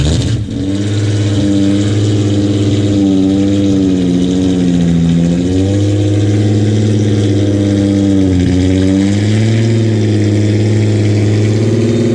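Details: 1986 VW GTI MK2 with swapped used VR6, no throttle tension: very low idle with pitch sagging and recovering, lumpy; rough idle, owner thinks it may be missing.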